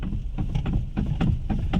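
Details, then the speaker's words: Maruti Alto standing at idle while the steering is worked back and forth: quick, uneven clunks over a low idle rumble, from the worn steering rack ball joint, which is joined to the rack end. "ये देखिए ये जो आवाज आ रही है ये ये आवाज है स्टेयरिंग रैक की जो अपना steering rack ball joint and एक ही साथ जुड़ा होता है ये उस चीज की आवाज है"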